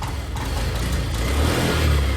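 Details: Honda Activa BS6 scooter with new original petrol filter, no MIL light: engine surges unevenly, catching then dropping, when throttled from low revs, fine at higher revs; misfire from a worn spark plug.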